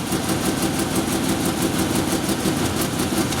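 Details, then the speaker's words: 1997 Ford Ranger first start after rebuild work and injector cleaning: lumpy, uneven stumbling idle that never smooths out, misfiring because the spark plug wires are out of firing order; shut down. "yeah yeah shut it down yeah it's firing out of order"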